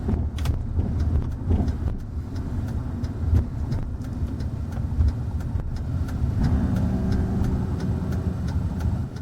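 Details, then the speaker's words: 2008 GM round-body 1500 heavy-duty pickup at very low speed: buzzing grind appears and holds as one wheel speed sensor signal drops out; the false signal triggers ABS, mistaken for grinding brakes. "hear and see that it happens right when that green line drops so it stops seeing a speed on one tire even though the tire is still spinning it stops seeing the speed in that tire"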